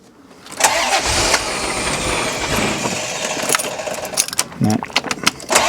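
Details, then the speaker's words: C4 Corvette ZR1 barn find after cam sensor testing, original plugs, ECU plugged in: starter whirs steadily and engine cranks without catching; crank no start, possibly flooding/running rich, not confirmed. "even less good oh that starter motor sounds like a Mopar starter motor doesn't it go for it again"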